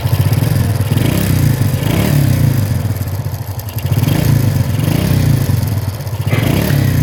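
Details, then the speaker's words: Honda Supra (C100 series) with swapped engine, valve cover off, oil not reaching the head: small single rattles hard at idle with light fast clatter; no oil circulation to head, left-side noise usually a slack cam chain. "Ini udah dipastikan oli mesinnya tidak bersirkulasi ke bagian head. Nah, ini permasalahan yang membuat ee mesinnya kasar ya. Terlebih ee untuk blok di sebelah kiri itu biasanya akibat rantai keteng yang kendor."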